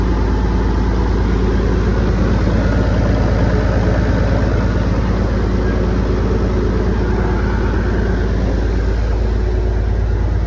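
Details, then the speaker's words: Rooster truck diesel, warmed-up idle after a fix of the found problem that ran until one in the morning: deep, steady idle with an even low thrum and no knocks, misses or rattles; 40 psi oil pressure and about 100 psi fuel pressure. "oh baby it sounds good"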